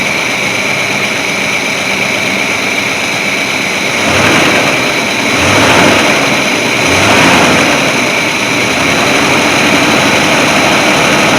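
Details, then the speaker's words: 1981 Chevy C30 dually, ex-dump truck revived after sitting 10 years, warmed up: rough idle with three mild throttle blips rising sluggishly; accelerator pump works but the carburetor stumbles off idle. "actually sounds pretty good that uh carburetor the accelerator pump's working but it's stumbling on itself and good enough for what we're doing right now"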